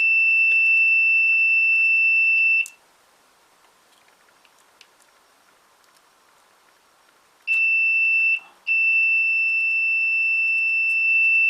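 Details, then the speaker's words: Old Hornby Class 101 three-car DMU model loco, decoder disconnected, testing direct connection to connection: two steady continuity beeps on the next decoder wires, "perfect"; good connection. "And that is perfect."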